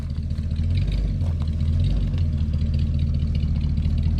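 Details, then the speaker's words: Ford F100 truck, believed 1969 or 1971, V8 with a D171 carburetor, first start after sitting abandoned for years in the woods: deep, steady idle with an even low rumble and no knock or miss; normal idle. "well she sounds good i don't care what anybody says"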